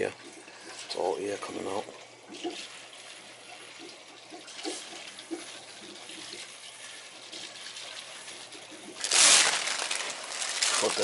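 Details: Hydronic heating system with no heat, pressure at 30 psi instead of 15; power venter motor, expansion tank, relief valve, nozzle and filter replaced. Quiet gurgling, then a sudden loud hissing, spitting rush of air and water as trapped air is purged from the zones.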